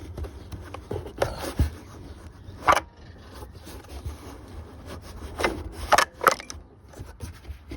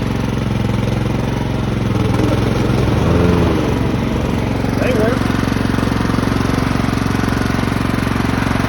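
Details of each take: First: Craftsman lawn tractor, 15.5 OHV engine, left in a shed about 4 years, turned over by hand: irregular dry scrapes and rubs with each pull; owner suspects critters or a nest in the flywheel shroud. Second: Craftsman lawn tractor, 15.5 OHV single-cylinder, sat 3–4 years, after nest cleanup and fresh gasoline: a steady, even thump, then a slower idle when the throttle is lowered; running smoothly and healthily.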